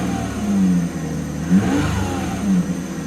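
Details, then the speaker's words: XJ with the big six, mostly used on short trips, started with a maintenance-required warning showing: engine blipped about once a second with a rough, raspy exhaust note from an exhaust leak. "that don't sound right that's right there is an exhaust leak"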